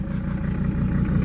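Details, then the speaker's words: 1979 or 1980 Mercedes-Benz 300 SD diesel from a scrapyard, first run after fuel filter and oil change, long unused, primed itself: steady, even idle clatter with low rumble, no misses; some vibration, owner wonders about engine mounts; normal idle. "And she's actually running pretty smooth, man. Not even missing. Totally primed itself."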